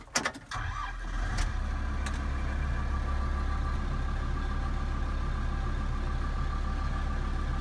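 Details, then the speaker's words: Kubota M125X tractor diesel about 8 hours into a shift holds a steady low idle. Both the manual throttle and the gas pedal move, but rpm never builds and there are no revs; cause not yet found. "The gas pedal, when you move the throttle manually, you can see it pushes the gas pedal down. But when you push on it, there is no throttle at all. The RPMs don't build at all."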